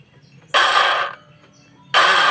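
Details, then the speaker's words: Automatic scooter with good battery but non-working starter: two short bursts of free, high whirring with no cranking; the starter pinion gear spins but won't turn the crankshaft pulley, the pinion gear is damaged. "gear pinionnya masih bisa ikut berputar tapi tidak bisa memutar dari poros engkol atau pulinya ya"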